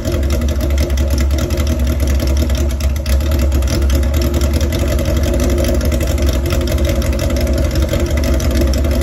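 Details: Old chopper idling rough with a loud, deep, slightly uneven beat; propane around the carburetor intake rubbers gave no change in sound, so a vacuum leak is not confirmed and the cause remains unknown.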